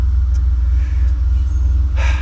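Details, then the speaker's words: Grey-market Mercedes under restoration that previously would not start, running again: a low, even rumble holding a steady pulse with no misses or stumbles. Normal idle. "to take this Mercedes up they have it as a winter project and here we go it's running again son of a gun"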